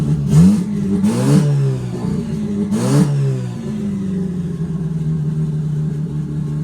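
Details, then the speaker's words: Mazda RX8 Renesis 13B bridgeport rotary turbo on Microtech ECU, after removing low-rpm fuel and adding high-rpm fuel: quick clean blips, then an even steady idle with no stumble or hunting; far smoother than before. "That is insanely better. So, that's actually a a ton smoother than what it used to be."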